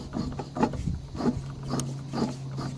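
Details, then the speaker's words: Driveway sweeper during winter-prep maintenance, turning over: soft dull clunks about every 0.6 seconds over a low steady hum; owner suspects rough worn bearings and something hitting, possibly near the gearbox feed; not confirmed. "Those bearings don't sound too great, but I'm not changing them for the little bit that I use it. It hasn't caused me problems yet. So, however, I don't know where the that's hitting. Boy, that sounds terrible."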